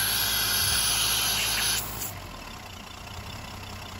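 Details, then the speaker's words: Mercedes M130 engine with mechanical fuel injection, cold idle: loud rushing air hiss over a smooth idle that settles quieter; starting just over 1000 rpm and dropping to 800 rpm after about 4 minutes, so the warm-up system works. "she's been running for maybe 4 minutes and look at that it already dropped to uh 800 see so it's definitely working"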